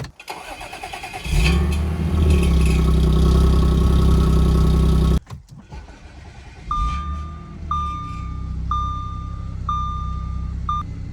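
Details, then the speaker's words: B8 Audi S4 with replacement transmission fitted: engine cranks and catches with a brief metallic rattle from the exhaust, then settles to steady idle. Source of the metallic noise unknown; car also smells rich. "you guys heard the exhaust cuz there like a metal sound when the exhaust starts up um I'm not sure what that is"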